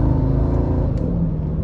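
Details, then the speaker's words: 2004 Mercedes E55 AMG after repair of an exploded supercharger bearing, on a 0–60 pull: deep, steady roar under hard acceleration with no chirp or squeal; the supercharger sounds healthy. "but i don't hear the chirp anymore"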